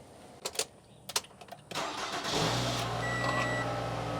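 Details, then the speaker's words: 2014-era Toyota Camry from Copart after removing Viper alarm that disabled cranking: a few clicks and short crank, then catches quickly and settles into steady, even idle; normal start. "cranks up good sounds good all right pull it on out"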